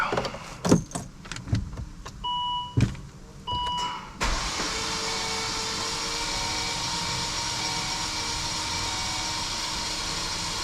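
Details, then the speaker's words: Volvo S60 inline 5-cylinder after piston ring replacement for oil burning, cranked: clicks and chimes, then a fast, even starter whir with no compression chug, compression heard shooting out; normal cranking. "I hear that compression shooting out. That's awesome."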